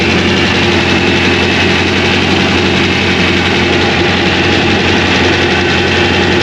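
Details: 2001 Trans Am WS6, 500hp LS1, first start since engine-dyno break-in, untuned with stock injectors and mass airflow sensor, GoPro audio: a loud, deep V8 idle with a choppy, loping big-cam beat, running steadily without stalling.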